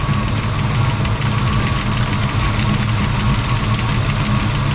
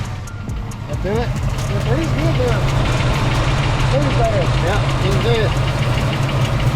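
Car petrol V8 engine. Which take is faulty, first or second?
second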